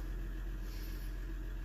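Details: 2016 Ram 1500 EcoDiesel idling after the connector repair for a no-crank/no-start, fault scan clean, coolant leak still present: low, steady diesel rumble with no knocks, stumbles or surges; normal idle.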